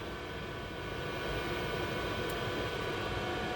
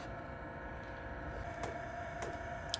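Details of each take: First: 12V 5kW diesel heater newly installed in box truck conversion, after fuel pump ran then stopped: only steady fan hiss with faint whine, no burner roar; no heat, not igniting, cause not identified. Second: 12V 5kW diesel heater newly installed in box truck conversion, first startup: a few light sharp ticks about half a second apart over the heater fan hum as the fuel pump primes normally; checked for leaks.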